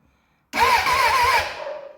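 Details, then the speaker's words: Suzuki Bandit 600 after crash repairs, started on a jumper pack with cables slipping off the battery; starter turns the engine over a few quick pulses then stops, dash lights cutting out, owner suspects a weak jumper pack. "I think it might be the jumper pack cuz it turned over a few times there and then stopped and it keeps doing that."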